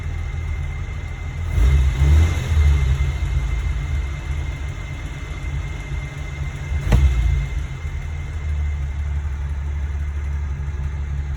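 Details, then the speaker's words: Warm vintage flathead at about 180°, slight fuel percolation wet in the intake manifold, restarted: low steady idle with two brief throttle blips settling back smoothly, no misses; normal warm idle. "Let's just try starting it and see what happens. We're still warm. We're up in that 180 mark now. Started pretty well, actually."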